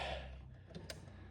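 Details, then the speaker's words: EcoBoost DeLorean driver-side door window motor tries to work, giving two short dry clicks over a low hum while the glass never moves; broken window regulator, and the motor is loose in its mount. "is trying to work you can hear it clicking but we did find a few problems"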